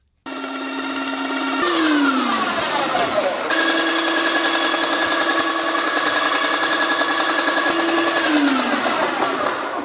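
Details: Airless Max Blast paint sprayer priming with unthinned paint before reaching the gun: steady pulsing motor whine whose pitch sags sharply under load then recovers; pump labouring on thick paint near stall.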